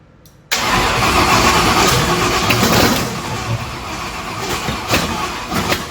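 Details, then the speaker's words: 1965 Ford Thunderbird FE 390 V8 with a weakening battery cranks and catches briefly but runs ragged and uneven, never settling to idle. The owner suspects it isn't getting enough fuel. "um I'm thinking maybe it's more of a fuel like just not quite getting enough fuel to it right now it's kind of what it seems like"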